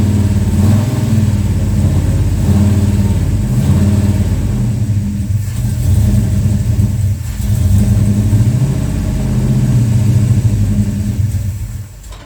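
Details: Plymouth Road Runner V8 after engine overhaul, timing heavily advanced after seeming too retarded, near operating temperature, owner mentions pre-detonation: deep, lumpy rumble that hunts and surges unevenly. Rough idle, cause unconfirmed; carburetors to be checked.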